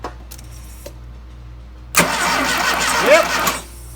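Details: Rebuilt 2.2L turbo engine swapped into a 1985 Dodge GLH-T: starter cranks at a steady rhythm for about a second and a half, never catches; no spark suspected despite coil being connected, cause unconfirmed.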